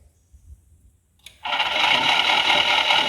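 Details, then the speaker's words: 5 hp explosion-proof brake motor, bench-run from an inverter at 10 Hz then 30 Hz: a raspy whirr with a high scratchy rattle. Not thought to be bearing noise; the owner suspects the brake hub scraping the back of the housing or the fan. "But I don't think that's a bearing noise. It sounds like the brake hub scraping on the back side of the housing, or the fan, underneath the"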